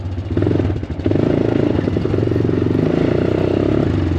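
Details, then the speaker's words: Honda Recon ATV revived after years sitting in the woods, climbing a hill: single-cylinder chugging unevenly, stumbling, sounds fuel-starved, won't pull; owner suspects remaining carburetor gunk, not confirmed; sputtering under load. "Yeah, she's sputtering a little bit. Oh, she doesn't want to turn. We might still have some carb issues. Yeah, you guys hear that? It's like she's running out of fuel."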